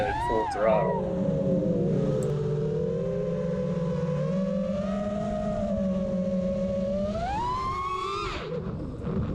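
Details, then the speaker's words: FPV quad with Karearea 2207 motors on a JohnnyFPV frame, Betaflight 4.0: motor whine rises and falls with throttle, with a steady low-frequency hum at full throttle, believed from the motors and amplified by the frame. "Oh a little bit of a low-frequency vibration sound you can hear at fit throttle I don't see any vibrations in the video but complete hearing it sounds a little pretty sure it's coming from the motors and the frames just amplify on that vibration"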